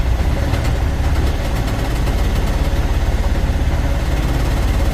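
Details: Cummins ISX15 heavy diesel at idle: uneven lumpy chuff with missing pulses, misfire on the 3 rear cylinders, white/blue smoke; compression leaking straight out due to damaged cylinder head.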